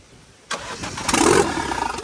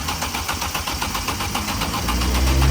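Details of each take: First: Vauxhall Corsa VXR replacement engine, after the whole wiring loom was replaced the next day: the starter catches and the engine fires, settling into a rough but steady idle; a healthy start, running spot on. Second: Vauxhall Corsa VXR with a freshly swapped replacement engine (head gasket had gone on the old one): fast, even cranking at about four beats a second that never catches; cranks but won't start, and the whole wiring loom was replaced the next day.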